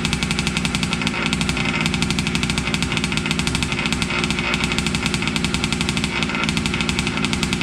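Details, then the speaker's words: Losi 5T 2.0 gas two-stroke RC truck on VP fuel after about four to six months stored, choked, started on the workbench up on tires: a fast, crisp buzz with even, rapid firing and no misses or stumbles; normal running. "awfully loud so I'll just get it fired up just to run some fuel through it and get our battery disconnected"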